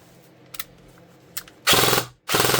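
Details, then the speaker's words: G&G SGR 556 airsoft AEG, a year of use, out-of-box internals, after switching to a charged second battery: two crisp full-auto bursts, fast even rattle, quick trigger response; normal strong cycling. "That's out of the box, I have done nothing to that. Super fast, super responsive. Honestly, it's been a fantastic gun."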